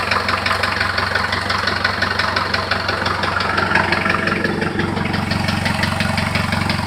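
Steady idle with a regular tapping knock, roughly three a second, riding over the engine note; something is knocking, cause not yet known.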